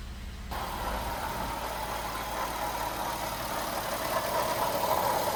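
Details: Jeep Wrangler 3.8L idling: a steady whirring whine rides over the engine with no knock. Power steering pump, tensioner, idler pulley and alternator were already replaced without effect; the cause was a failing water pump bearing, fixed by replacing the pump.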